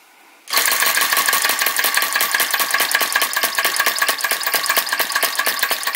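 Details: Retro VE-01 crossbeam flame licker vacuum engine: fast, even ticking clatter about eight beats a second with a faint whistle. Runs weakly, flame keeps blowing out; wick to be pulled out for a bigger flame.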